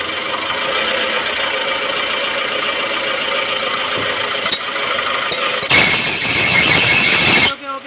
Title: Making loud noise when turn the steering / maruti suzuki baleno sound problem / steering sound